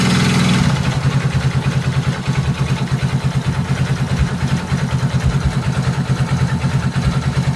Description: Nagkakaron ng ingay sa makina kpag nag aaccelerate